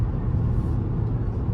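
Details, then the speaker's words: Repaired rollover Tahoe on a test drive at about 40–50 mph, heard in the cabin: steady low tire and road rumble with no whistle or rush around the doors; the door seals are sealing, no wind noise. "to see if we got wind noise. And I don't hear any really. I hear road noise."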